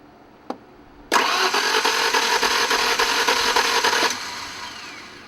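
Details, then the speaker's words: 1992 Ford Ranger after an upper engine rebuild, first start attempt after a pop/click: the starter spins the engine fast and evenly for three seconds with no compression pulses and no firing; cranking without compression. "something's wrong all right guys we got a problem something clicked and it doesn't sound like it's getting compression"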